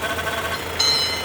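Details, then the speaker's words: Renault Megane 2.0 16-valve automatic, 2010, idling: thin high whistle over the idle, engine sounds short of air, changes when the oil dipstick is pulled or filler closed. Suspected failed diaphragm in the valve cover (PCV) causing a vacuum leak; unconfirmed. "parece que tem um gato lá dentro lá o carro tá com falta de ar o motor"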